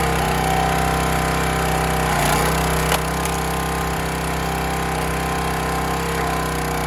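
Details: County Line 25-ton log splitter single-cylinder engine after carburetor cleaned of rust and water, fuel tank drained and refilled: runs steady and even at constant speed with no misses or surging; sounds healthy.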